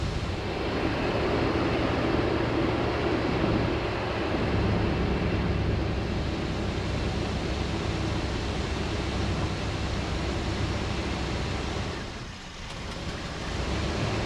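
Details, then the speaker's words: 1988 Chevrolet Suburban V8 idling right after a cold start following months of sitting; steady, even rumble with no misses, knocks or ticks; no visible leaks, running good. "i'm surprised she fired right up after sitting like that but she's running good"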